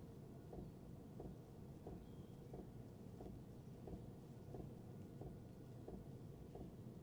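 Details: Diesel heater mounted on the side of the camper, fully warmed up, running low (set to 12, tent at 13–14 degrees). Sharp regular ticks about every two-thirds of a second over a low rumble, resonating through the camper, max 84 dB: pump ticking transmitted through mount.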